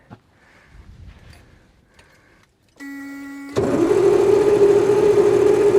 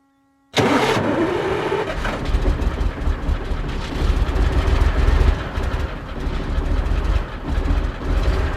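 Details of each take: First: Kamaz diesel truck, first start attempt after over 6 months sitting, following an oil change. Cab is tilted and fuel was slow to come up, so it was hand-primed. The starter whirs steadily but the engine never catches: cranks, no start. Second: Soviet-era Kamaz diesel truck, first start after over 6 months sitting, just after field oil change, filters and new air filter, oil slightly overfull: brief crank, clean catch, steady deep idle, no knocks or misses; smoke from storage; normal start.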